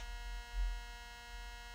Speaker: see that's got definite yeah that's definitely a 60 cycle hum in that 100 percent